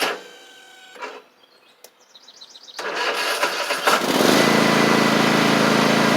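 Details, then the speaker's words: Cub Cadet Ultima ZT1 zero-turn mower with bent deck and badly worn blades: engine catches and blades spin with a smooth even whir, no knocking or scraping; blades stay engaged even with PTO clutch off, clutch suspected faulty. "I forgot that's what was happening last time I was here too, but y'all hear the blades are working fine."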